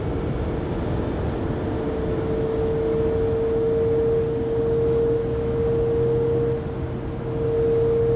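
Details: 2020 Pleasure Way Plateau FL (2019 Sprinter 3500XD), recorded by phone at 80–90 km/h after drive shaft and differential replacement: steady fairly high-pitched whine constant over road noise; driveline whine, source not pinned down.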